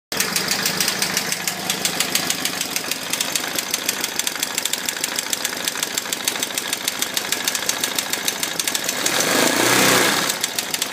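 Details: KTM 640 LC4 single: sharp, even ticking about three times a second over the idle thump, fading when revved; auto-decompressor clicking at idle.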